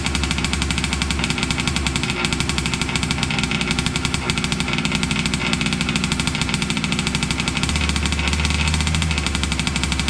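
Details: Losi 5T 2.0 gas two-stroke RC truck on VP fuel after about four to six months stored, choked, started on the workbench up on tires, warming up: a loud, fast, even buzz with crisp, steady firing and no misses; normal running.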